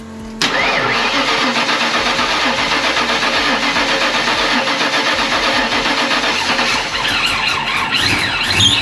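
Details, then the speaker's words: Stock-block 347 V8 with Vortech V-1 supercharger and Holley Super Sniper fuel injection starting on a newly installed fuel pump after priming: brief crank, catches immediately, strong steady idle without stumbling; clean healthy start. "just hit the key we've already primed it a couple times so it should be plenty of fuel in there so just turn it forward and let it light It Off"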